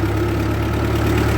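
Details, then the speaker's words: 1948 Ford 8N tractor pulling uphill in third gear, below full speed, oil pressure reasonable: a steady, even low thrum under load with no knocks or misses; the engine runs healthy with lots of power. "she got lots of power oil pressure is reasonable it's not even really at full speed oh yeah that's good perfect"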